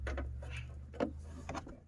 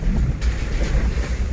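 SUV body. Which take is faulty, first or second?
first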